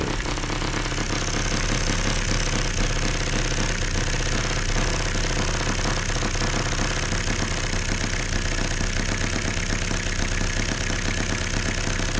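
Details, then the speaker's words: Small model engine started at room temperature (74°), heard through a long copper tube away from the exhaust: steady, even chugging about two beats a second, light valve clatter, no misses; very quiet, normal running. "that engine is very quiet so I'm sorry but maybe uh Square cam loes are the way of the future but H it runs really well guys"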